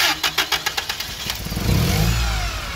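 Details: Toyota 8 Series 5,000 lb LPG forklift with a 4Y-ECS engine and a hard-start issue: even cranking pulses about 3.5 per second for over a second, then it catches and stumbles to a rough run.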